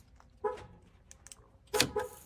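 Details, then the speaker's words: 1st-gen Toyota Sequoia rear hatch latch with its electrical connectors reconnected: two short buzzing clicks about a second apart and no release clunk. The actuator tries, but the latch pin won't slide up and down. "Okay, I made the mistake of reconnecting the electrical cords to see if this would help, and you can definitely hear it trying to do something now,"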